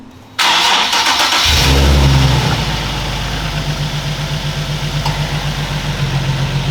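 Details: Nissan 370Z started right after oil change with Motul 8100 Eco-nergy oil and K&N filter: short crank, catches cleanly, settles to steady, even idle with no knocks, ticks or misses.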